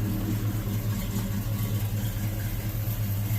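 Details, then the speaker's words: Small-block V8 fitted with a big-block starter, its lifters sometimes tick and have previously stuck: a deep, steady burble with a slight lope and no ticking now. Runs well, normal idle. "This thing runs so good."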